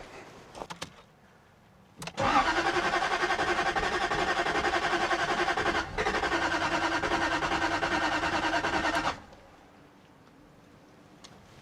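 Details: 2001 Jaguar XK8 coupe not started in 10 years, cranked on boost: steady starter cranking at about three and a half turns a second for seven seconds with only the odd weak fire; it never catches.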